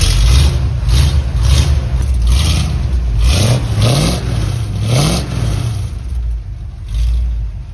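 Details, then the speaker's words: 1976 Ford Highboy V8, first start with new MIG-welded homemade exhaust, cold: deep, even burble with quick throttle blips, quiet and smooth with no puffing or rattles; normal start and idle. "Just finished the exhaust. Battery fired up for the first time. Hear what it sounds like. Oh, it's so quiet."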